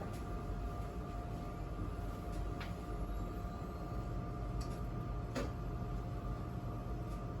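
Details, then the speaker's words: Power Mac G4 MDD rescued from recycling, booting Mac OS on its original hard drive: steady, high-pitched whine from the spinning drive with a few sharp ticks between; a loud, noisy hard drive, cause undetermined. "Well, it's booting up to Mac OS, and I do hear that hard drive spinning away and making all sorts of noise."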